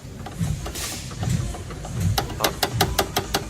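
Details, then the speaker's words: Irregular low clunks then a quick run of sharp knocks as a newly installed suspension part, left untightened by a shop, is worked by hand; the same noise was heard on the test drive: a loose suspension component clunk. "they didn't even tighten it it's all new parts this that's the noise i was hearing on the test drive"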